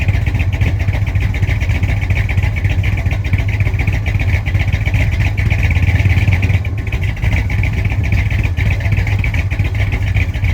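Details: 1965 Chrysler 300 non-letter car, 383 V8, revived after sitting since 2005 in the California desert following transmission issues; carburetor mixture screws about 1.5 turns out, still needs timing. Deep, burbling exhaust from behind, steady with slight unevenness; running but not proven sound.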